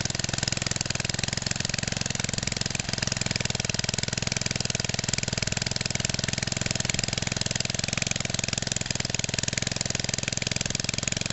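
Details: 1969 small single-cylinder engine of about 2 hp with magneto points, revived after sitting for ages and run indoors: a steady, even putter at constant speed with no knocks or misses. It's running fine.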